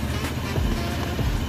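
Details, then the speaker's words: Honda PCX 160 scooter after DIY magneto repaint, radiator cover still off, no check-engine light: steady, even low putter at idle with no rattles or ticking; normal idle. "Tahimik naman ang andar. Wala namang kalansing."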